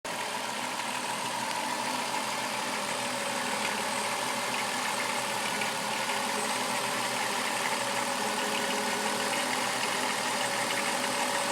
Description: Chrysler Town and country 3.3 liter engine rattling noise